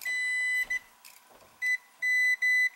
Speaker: Is our problem right there. Hear it? Yeah, it looks like it's... No, it's short at the ground.